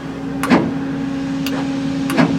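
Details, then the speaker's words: American 2380 20-ton military crane with liquid in the cylinders, batteries charged: strained starter hum at one low pitch with a few heavy clunks as the engine slowly creeps over, fluid draining out; hydrolocked engine. "I don't want to overheat that starter yep we got fluid coming out so I'm just going to let that fluid drain out those batteries really help getting a lot more power that starter was was slowly turning the engine"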